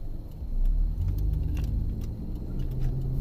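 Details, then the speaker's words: 2010 Jeep Patriot 2.4L, driving on road: deep road-speed rumble from a worn wheel bearing with faint irregular ticks of the rotor hitting when turning, mainly on left-hand turns; new pads and rotors had pulsed under braking. "You can hear the rotor hit when you make a turn."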